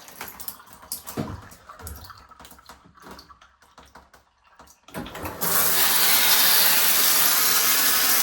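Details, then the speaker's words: Triton electric shower after fixing an internal leak, shower head resealed and power restored: a few quiet knocks, then strong, steady, even hiss of water without sputtering; flowing freely, no more leaks. "And we have water. All nicely free flowing. And no more leaks."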